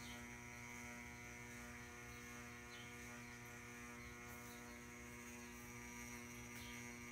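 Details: Ceiling fan running: steady layered buzz with faint ticking, no pitch change; cause unknown, owner assumes electrical.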